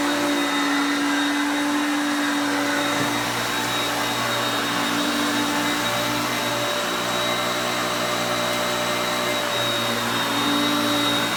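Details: Hoover Concepts self-propelled upright vacuum on luxury carpet with the drive engaged, moved back and forth; motor pitch changes with the gears. Steady high motor whine with constant airflow rush, no rattles or speed dips; picking up well, normal running.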